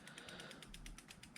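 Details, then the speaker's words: Samebike L026 e-bike after fitting and evenly tightening new disc brakes: wheel spinning down with only even freehub clicking and no rotor scraping; normal, no brake rub. "so as all you can hear is the clicking now there's no rub there at all that's the way we want it to be"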